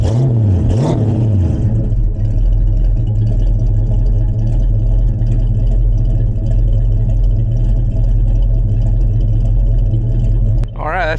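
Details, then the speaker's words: 1967 Chevrolet C10 stepside pickup V8 with Edelbrock intake, engine about 2000 miles, fresh cold start: deep even rumble settles into steady idle after a quick blip, clean rev at end, no knocks; normal running after cold start. "this engine has got like 2000 miles on it and so it's basically just brand new um and it runs like it's brand new"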